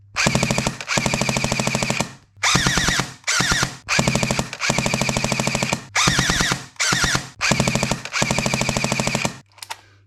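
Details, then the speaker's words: JG Sig 552 airsoft AEG on a 7.4V LiPo after gearbox shimming and service: crisp, even bursts of fire cycling cleanly, replacing the brand-new gun's horrendous gear screeching; no parts needed. "we saw what the issue was it now sounds like much better"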